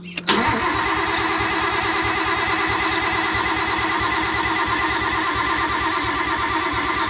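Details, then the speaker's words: Nissan R32 Skyline with freshly built engine, first start, after earlier oil pressure issues and oil pump check: steady, even cranking for 15 to 30 seconds with no knocks or grinding to build oil pressure before starting; pressure achieved. "about to crank it so I'm gonna crank it for probably like 15 to 30 seconds just to build up some real good oil pressure"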